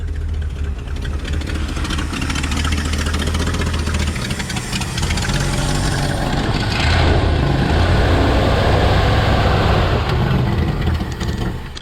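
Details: 1968 Ford F100 V8 that wouldn't accelerate properly, after a slight timing change and raised idle; uneven, lumpy idle, brief rev and back down, still not settled; carburetor adjustment next, cause suspected not confirmed; rough idle.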